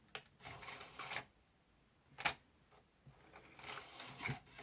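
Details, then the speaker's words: Aiwa XR-MD510 MiniDisc hi-fi that had been ejecting discs with a Mecha Error, now accepting the disc: it tries to read the table of contents with repeated clicks and short whirring seeks, then shows Disc Error; the dirty laser lens is not reading the disc. "and not ejecting it straight away he's trying to read the table of contents"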